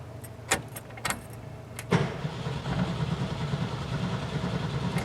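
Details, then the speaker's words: 1972 VW Bus engine with a massive oil leak and a no-run fault. It cranks, then the starter clunks and stops, and later cranks over into a rough steady idle. Intermittent starter engagement; the owner hopes it is a loss of signal, unconfirmed. "Hopefully I picked up in my mic, but clunk, and it stops. I'm hoping it's a loss of signal, honestly, because I don't know what we'll be doing that, to be honest with you."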